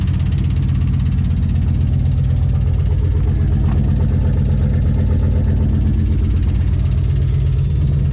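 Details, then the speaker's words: Dodge with a no-start condition, first start after swapping in a second PCM (ASD relay and computer diagnosed): deep, steady engine rumble, even beat, no misses or knocks; runs normally, check engine light on. "All right, doesn't sound too bad."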